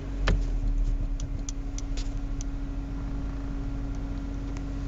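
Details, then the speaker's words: Audi 80 B4 2.0 (90 hp), CGT short-ratio gearbox, idling: faint steady hum with no whine or grinding; first and reverse are quiet, while 2nd–5th hum and rattle, so the owner rules out the differential. Normal gearbox noise. "objawia się to tylko na przełożenie jak dwa czy cztery i pięć przełożenie nr 1 i Bieg wsteczny jest o dziwo cichy"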